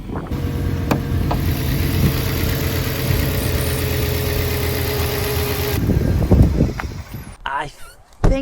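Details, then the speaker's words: Audi S6 Avant 5.0 L V10 revved: loud ragged, stumbling exhaust note instead of a clean rise; sounds like a misfire, with possible plug or coil fault suspected, unconfirmed. "that's a Miss on this one it sounds like the cat's been nicked in the engine doesn't sound happy"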